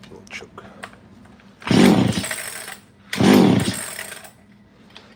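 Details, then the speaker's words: ECS-356 chainsaw found in a barn, with a hardened fuel line. Two short raspy two-stroke bursts, each dying after about a second: it fires, sounds good, and has good compression. "man sounds good so got good compression"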